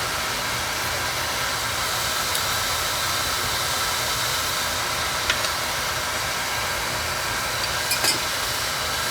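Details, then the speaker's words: Oil-fired boiler burner, previously sooting and blowing black smoke, after nozzle size reduced: steady even flame roar without pulsing, rumble or sputter; normal burner firing, running smooth. "that's better now see how this one's running smooth"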